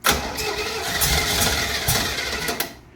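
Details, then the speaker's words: 1968 Camaro, 327 V8 with 4-speed, Holley carburetor swapped on, mechanical fuel pump, weak battery: cranking with scattered weak catches that never build into a run; front float bowl empty, no gas reaching carb, fuel starvation. "There's nothing in the front bowl. Might not even have No, there's not gas going in. That's why it's not firing up."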